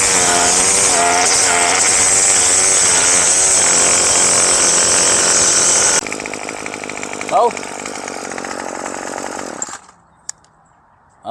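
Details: Craftsman gas two-stroke string trimmer after carburetor kit rebuild fixed hard start and no-rev: high, buzzy wail held at full throttle, clean and steady with no bogging or surging; revs strongly, normal revving.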